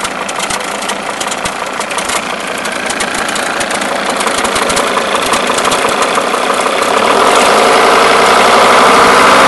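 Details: Mercedes S210 E290TD diesel at idle with a steady knock, about four a second. The cause was a broken alternator one-way (overrunning) clutch pulley.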